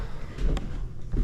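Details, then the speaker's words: Master bedroom subfloor after carpet removal, the repaired sheets re-screwed into the joists (screws 4–6 in apart in the field, angled at sheet seams) before the new floor goes down: only dull boot thumps, no crunching, groaning or squeaking. "sound of my boot hitting the floor, I'm not getting crunching, groaning, squeaking, and then we'll step off onto the ones I haven't done here."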